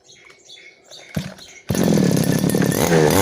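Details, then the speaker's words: Customer's small two-stroke grass cutter that sat long and wouldn't start, fixed by removing the stuck carburetor float needle that blocked fuel: pulled once, it catches at once and runs at a steady buzzing speed; healthy. "เครื่องนี้ถือว่าสตาร์ทง่ายเลยนะครับสตาร์ททีเดียวนะครับสะทาทีเดียวก็ติดแล้วนะครับ"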